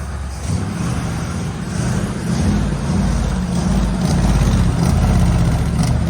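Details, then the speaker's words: 1965 Chevrolet C10 carbureted V8 at first run: loud lumpy idle with uneven beat, no steady rhythm; running rough, sounds loaded, crew believes the carburetor is at fault and plans to fit the other carb. "Yeah. Yeah, it ain't running right. What's that other side sound like? Oh shit. Knocked it off. Yeah, it's running loaded. Sounds like loaded."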